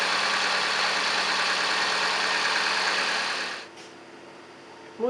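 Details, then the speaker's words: 2006 Opel Zafira 1.6 Z16XEP 16-valve with a knock near the valve cover, test start after the exhaust manifold was removed and refitted: quiet, even idle with no tapping or knocking; fault fixed. "Для холостых работает тихо. Никаких штуков нет."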